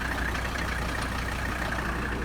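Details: 1985 Mercedes 300D diesel, daily driven about 300 miles a week, idling with AC on: even steady clatter and smooth low drone, no misses or knocks; normal idle.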